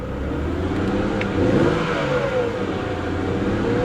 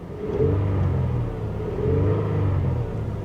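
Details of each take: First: Copart auction convertible with engine misfiring: engine revved to see if it clears, but the note stays rough and choppy through the rev; the misfire hasn't cleared. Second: Toyota auction car given a light rev: a deep, even rumble swells and eases with the throttle, with no knocks, misses or smoke; the engine sounds healthy.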